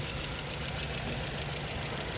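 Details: Vibrating petrol engine with automatic transmission, worse in R or D, idles with a low, uneven drone; P0304 cylinder 4 misfire and P0420 catalyst codes; a faulty coil or sensor is suspected.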